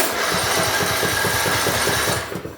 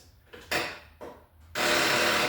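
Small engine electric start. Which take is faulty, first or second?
second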